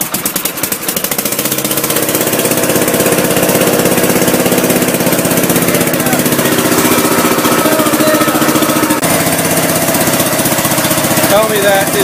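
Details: Gravely Commercial 10A with Kohler single-cylinder, first start after rebuild (new governor cross shaft and gear, crank ground 10 under, new piston, rings, rod, gaskets, light hone), snowblower attached: steady even thump, picks up and holds speed, no knock or miss; runs healthy.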